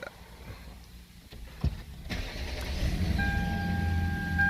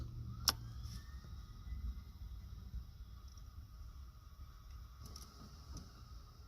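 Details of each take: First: Lexus LS460 V8 after starter replacement and new battery: quiet, then a short crank and the engine catches straight away and settles into a smooth idle; normal start. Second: Lexus LS460 with a failed starter. Turning the key gives a brief high whirring "zing", like a jet spooling up, with no cranking and no engine catching; the starter spins but does not engage, and the battery is getting worn down.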